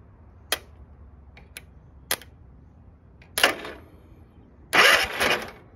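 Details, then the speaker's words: Free Yard Machine 15hp riding lawn mower, long left sitting in a field; starter jumped directly with a screwdriver to the positive terminal: spark snaps then two short whirring bursts, starter engages fine; owner suspects the starter solenoid instead. "okay um so that's engaging so i don't think that's the problem then"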